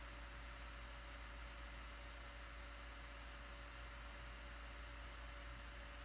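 A faint, steady airy whir with a soft constant hum; the laptop fan sounds normal.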